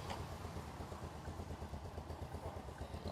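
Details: Motorcycle engine idling steadily after a new battery failed to cure an electrical fault where the bike died; it starts right away and charging measures 13–14 V. Soft, low, even rumble, no knocks or misfires; runs normally.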